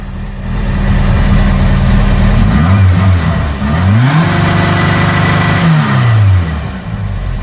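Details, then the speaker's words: New 2234 cc motor in Blue, light free revs to limiter lowered to 6000 rpm, Sidewinder muffler: clean blips climbing smoothly and dropping back, no clicks or grinding; healthy engine. "alors j'ai baissé le limiteur de régime à six mille je vais juste lui donner un petit rot léger à six mille voir à quoi ça ressemble"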